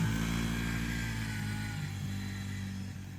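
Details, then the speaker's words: Yamaha YFZ50 after removing restrictions and tuning the carburetor, spark arrestor refitted, now 2–3 mph faster: sustained high buzzing note holds steady then eases, no misfire; pulls cleanly at high rpm. "I'll be curious to see how it compares with the little Can-Am, but you can hear it getting in high RPM and when he really gets on that throttle."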